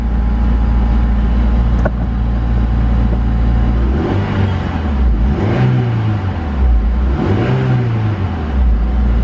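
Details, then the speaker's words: Honda S2000 after refitting missing alternator and header bracket bolts, correcting valve adjustment and changing dirty fluids: smooth, even idle with clean throttle blips, no rattle or clatter; much quieter and healthy. "Now it runs surprisingly good and it's quiet. Hear how much quieter it is?"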